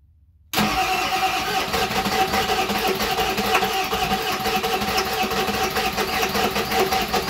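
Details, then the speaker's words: 7.3 Powerstroke (Navistar T444E) diesel, stored almost 2 years, after cleaning the relay connections with emery paper: seven seconds of steady cranking with an uneven chug that almost catches, making smoke; starter needs to cool. "oh we were close that starter is probably gonna need a break here pretty soon"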